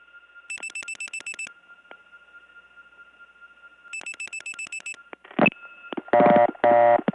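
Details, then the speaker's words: Early-1979 Gainesville, Georgia step-by-step tandem switch: fast steady reorder tone with other callers' dial pulses clicking over it; tone gets softer when a caller comes in, louder when they hang up. "the reorder tone actually gets softer when someone comes in louder when they hang up"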